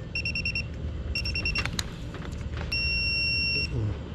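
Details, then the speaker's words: Aircon compressor terminal test with multimeter (running-starting 3.5, running-common 1.3, common-starting 2.4 ohms): bursts of short high beeps, then one steady tone; continuity beep, no short found, ground test next. "Kasi kung may shorted dyan, dapat tutunog siya sa ano, ayun."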